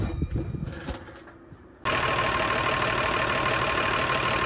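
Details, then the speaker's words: Bus with air brakes after replacing leaking push-to-connect air fittings to cure rapid compressor cycling: diesel idling steadily, then the air compressor cuts back in with an even, louder churn; normal compressor cycling. "I think that's got it cuz you can hear it when the compressor kicks back in great"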